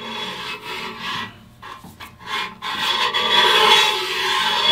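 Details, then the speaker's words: Ridge reamer with a spring-loaded cutter, turned by ratchet in an engine cylinder bore: a rough, uneven scraping rasp comes and goes with each pull as the blade bites into the cylinder ridge, whereas before it only slid quietly on the bore; ridge reamer cutting cylinder ridge. "if we get nice and quiet and we listen that blade is just sliding on the cylinder but not cutting anything it hasn't done anything in the cylinder i don't want to cut the cylinder i want to cut the ridge"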